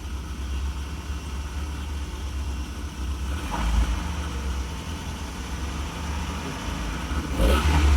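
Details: Mazda Bravo B2000 (2000) van converted to LPG with MCV carburettor system, high kilometres, after misfire fix (burnt valve suspected earlier): low, slightly growly idle climbing smoothly as revs rise, no stumbling or popping; runs clean.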